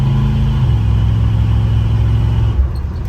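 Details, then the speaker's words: 1972 Chevy C20 pickup, 350ci V8 crate engine with Edelbrock 650cfm carb, accelerating after new R44T spark plugs gapped to .050 and initial timing raised from 4 to 12 degrees. Earlier it sputtered from 3,500–4,000 rpm; now it pulls smoothly with no misfire. "I wouldn't probably take it to a drag strip or nothing, but for what it is, it feels pretty nice."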